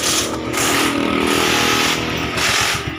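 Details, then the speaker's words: Suzuki Gixxer 150 single after cylinder head replacement (rocker arm bolt thread was stripped), kick-started: runs quiet and steady with even firing, no top-end knock or tick; only a small exhaust leak at the exhaust stud; normal running. "So, mandar na siya. So, tahimik siya. So, mga ganitong motor kasi tahimik na rin. Tahimik naman to eh."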